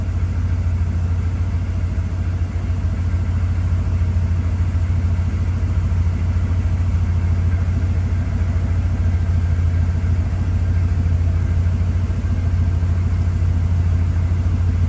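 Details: 1969 Chevelle SS 396 big block V8, 4-speed, freshly fitted Holley Sniper EFI still self-learning and slightly rich, cold start in neutral: deep steady rumble with even pulse about three and a half per second; healthy cold idle.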